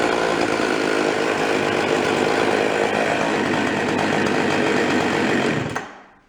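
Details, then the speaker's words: Husqvarna 353 chainsaw, bought cheap and barely running, after being gone through. High, buzzy revving held steady, then a clean cutoff; it idles without dying, has a quick trigger and high rpm, and the chain brake stops it immediately: normal running. "Sounds good, the brake works, stops immediately. It's got a nice idle to it, doesn't try to die. It's got a quick trigger. And a high RPM, I mean that thing rips."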